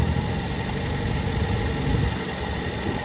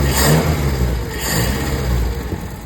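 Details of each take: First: Toyota KE20 engine with an uneven idle that hunts and sags rather than holding steady, heard while it is hand-revved as water is run through to flush the engine coolant; the cause of the rough idle is not confirmed. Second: Toyota KE20 carbureted petrol engine started with carburetor air filter removed: revs up then settles to steady, even running without knocks or misses; owner suspects earlier trouble was an air filter not seated after refuelling.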